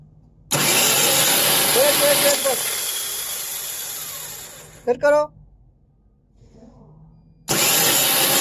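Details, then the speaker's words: Volvo wheel loader starter, test after a relay replacement. High free-spinning whir that winds down without the engine turning over; the starter motor runs but its pinion does not engage the flywheel. "start so view you heard that sound this is a problem to stter the motor is working but p is not engaged to the we you heard the sound that sound is motor is working but it is not engageed to the flywheel"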